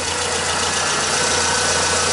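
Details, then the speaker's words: Car AC compressor heard from under the car after a repair; the clutch is engaged with a steady, even hiss and whir and no clicking or grinding: normal AC compressor clutch operation. "olha aí compressor de girando e nem sinal de chegar perto ali ó aí que é bonito ó tá vendo ali não tá fazendo barulho não tá fazendo nada"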